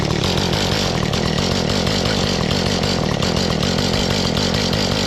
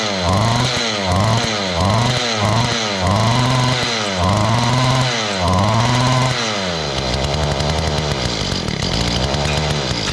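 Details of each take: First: Mantis two-stroke tiller that would start and die, now idling steadily after small carburetor adjustments: even buzzy beat, no stumbling or surging, and snappy on throttle. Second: Mantis tiller two-stroke that used to fire up and die, with old gas suspected. After priming, with choke on and throttle given, it surges up and sags about once a second and won't hold a low idle. It is suspected to be running rich, and the carburetor low- and high-speed screws get adjusted.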